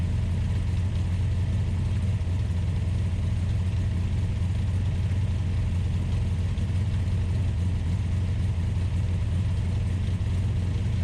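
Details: Ultima GTR supercar with American V8 warming up after a jumper-pack start: deep, steady hum held at a raised, constant speed with no dips, idling fast; fans pulling hot air, gauge reading only about 60 degrees.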